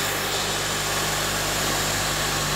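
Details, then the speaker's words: 2005 Honda Element after replacing the AC condenser fan, engine started with AC on: steady idle with an even airy fan rush layered on top; condenser fan spins up and runs normally. "now let's start it up turn on the ac see if the fan runs it works"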